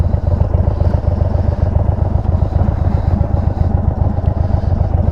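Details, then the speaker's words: 2022 Indian Chief V-twin on test ride, hot: loose clattering rattle and popping on each beat, caused by a massive exhaust leak, exhaust falling off. "that's quite a quite a rattle going on there the exhaust was literally falling off of this thing"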